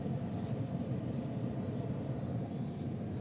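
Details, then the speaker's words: Aion Y Plus electric car seat ventilation fan on level 3 after a software update: a steady, loud airy rumble with no pulsing; far noisier than before, the new level 1 matches the old level 3. "Tuh kan suaranya. Berisik banget kan suaranya. Karena sekarang itu setelah update, update perkipasan mobil itu, dia nomor, nomor tiganya itu kencang banget."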